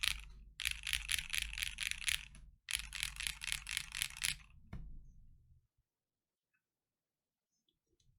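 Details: Lubed KNC Keys Tofu Linear (R2) all-nylon long-pole switches, Freebird60 case (gummy O-ring mount, POM plate, silicone dampener, polyfil): full typing test, three or four keystrokes a second, clean deep clack, no spring ping or rattle. Normal typing sound.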